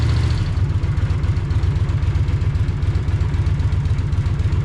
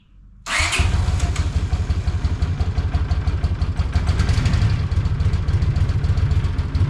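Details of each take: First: 43-year-old Honda GL500 Silver Wing motorcycle idling after a valve adjustment cured its rattle: low throbbing, uneven lumpy beat about four pulses a second, running rough; owner suspects remaining carburetor issues and plans to run cleaner through it. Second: Honda GL500 Silverwing, 43 years old, after valve adjustment on both sides: starts quickly and settles into a steady, even low idle with no top-end rattle or ticking; the rattle was from valves, though owner suspects remaining carburetor issues.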